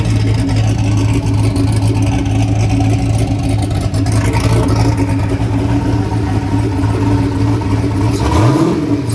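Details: Turbocharged Chevy S10 running after an odd start likely caused by a misadjusted idle screw and IAC, since readjusted: a deep, even, lumpy rumble holding steady speed with no clatter or stumble, then settling; healthy.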